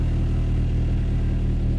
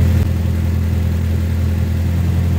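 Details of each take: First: 1988 Toyota MR2 AW11 petrol warm idle (about 1000-1100 rpm) after idle valve adjustment, dropping back once the AC is switched off: a low, steady, even hum with no knocks or surges. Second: 1988 Toyota MR2 AW11, manual, warm after 12–15 minutes, after turning the idle screw: holds a steady, fast, even idle still over 1100 rpm; a vacuum leak is not thought to be the cause, and further diagnosis is needed. High idle.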